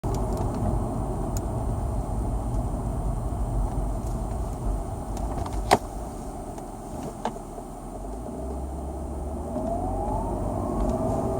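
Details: BMW E39 523iA 2000, ZF 5HP19 Steptronic automatic, 220,000 km, fluid and filter changed at 170,000 km: pulling away, a thin whine rising and falling in first gear; no slipping, shifts fine, converter locks normally.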